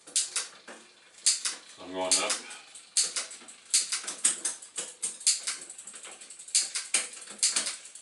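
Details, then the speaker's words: Bicycle rear derailleur after tensioning the cable by hand, cycling through the gears: crisp, quick clicks as the chain steps across each cog, with no grinding or skipping. Shifting is close to perfect and well adjusted. "I got that pretty close to perfect just by hand there"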